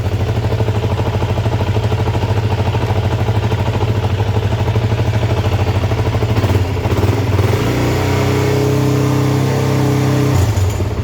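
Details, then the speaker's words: Motorcycle engine, started on choke: steady even idle and clean rev blip, no timing chain slap or tinny clatter; sounds healthy, a runner. "that sounds great no chiming tank no timing chain slap or anything like that so it's good excellent we have a runner"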